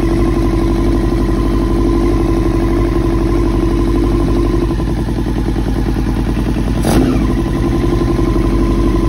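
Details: 2000 Yamaha R6 after diaphragm replacement and carb cleaning, which did not fix it: uneven, lumpy beat of about four pulses a second with clattery edges and one blip midway; it runs but isn't firing smoothly.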